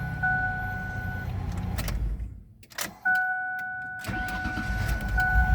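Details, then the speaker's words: Old Ford van with a dead 12 V battery revived by charging with a DC stick welder, now 12.7 V: two-tone door chime, short crank, engine catches quickly and settles to an even idle; battery cranks strongly. "wow that's crazy that sounds very good"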